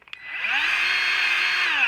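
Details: Battery-powered grease gun used to grease a Ferris IS-3200Z mower: steady high-pitched motor whir that spins up quickly and holds even for two seconds; pumping normally.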